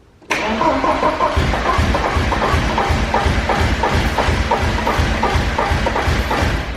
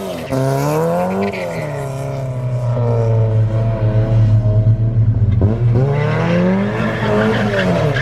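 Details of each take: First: Porsche 944 race car, full exhaust with header and resonator, first start on starting fluid: cranks, catches at once and runs evenly, confirming a fuel supply fault; crew suspects still no fuel. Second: Porsche 944 race car driven hard after fresh gas replaced stale fuel: revs climb and fall smoothly under load with tires squealing through turns, no stumble; runs really good.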